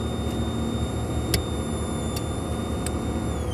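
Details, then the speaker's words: 1989 Lincoln Town Car with replacement Ford pickup radio: thin high whine through speakers rising in pitch with accelerator, alternator interference; owner considers capacitors or suspects alternator may need replacing soon. "listen to it as I press on the accelerator pedal you hear the wine increase in [Music] Pitch so we're getting some kind of interference from the"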